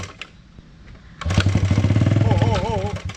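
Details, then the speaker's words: Vintage motorcycle after priming and spark plug check: kick, then it catches and fires evenly at about four beats a second for a couple of seconds before dying away; ignition now sparking. "that's running that's running we'll take that as a win"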